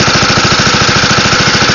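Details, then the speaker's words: Wisconsin AENLD engine (built by Ronaldson and Tippett) driving a Pacific pump on a NSW Bush Fire Brigade Land Rover, pumping water: even steady chug, no knock or misfire; normal running under pump load. "Anyway, that's it pumping. Lovely engine this. Just chugs along, moving a lot of water."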